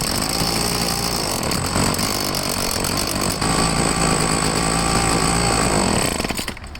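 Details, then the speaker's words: Troy-Bilt two-stroke leaf blower, started with choke half off; holds one flat buzzing note and sags instead of revving; dirty carburettor suspected; engine bogging, won't rev up. "it doesn't want to throttle up it's just like [Applause] carburetor is probably dirty"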